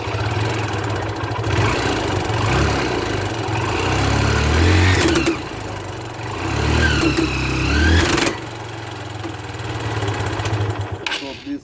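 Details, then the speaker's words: Motorcycle with worn-out front drive sprocket and old, poorly lubricated chain: engine revs up and down with loud harsh clattering bursts as the chain slips over the sprocket teeth; fix is replacing the complete chain and sprocket kit. "this are completely worn out and this chain slips over this sprocket and this sprocket is not able to draw this chain and this happens when the chains are very very old or if the chains are not lubricated properly"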